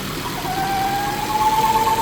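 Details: Volvo C70 T5 petrol engine idling with the alternator and power steering belts removed; a thin steady whistle or squeal near 800 Hz persists from a failed PCV diaphragm, confirmed when pulling the dipstick tube stops it.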